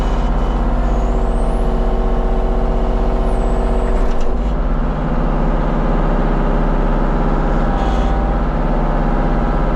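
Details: Kubota KX033-4 excavator, function check after 1000-hour service, outdoors on gravel, cold day: steady constant-speed diesel rumble, no knocks, rattles or squeals; normal running.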